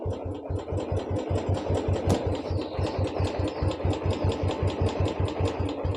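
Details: Royal Enfield Classic 350 idling after rust and mud were cleaned from the petrol tank and fuel filter, which had been causing misfiring. Even single-cylinder thump of about 2.5 beats per second, no misses or stumbles: running cleanly.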